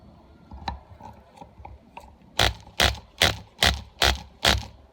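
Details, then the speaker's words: Sportwerks .05 cu in mini nitro RC engine after the cylinder sleeve was re-pinched, cranked on the test bench without a flywheel. Sharp, even pops about 2.5 per second, each crisp and strong. Compression sounds healthy. "Oh, it sounds so good. Engine is slowly walking itself off my vise."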